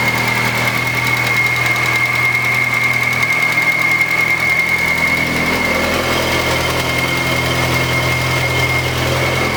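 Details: Turbo Nissan Z, first start after long downtime: thin, steady high whistle over a rough, busy idle, unchanged throughout; owners hear a weird abnormal noise, source not yet identified.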